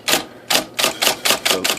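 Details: IBM Selectric I (13-inch, carbon ribbon), motor flushed but before repair; only certain characters thump and shake the bench. Here: crisp, even keystrikes about every quarter second, clean clacks with no heavy thump; normal typing on good characters.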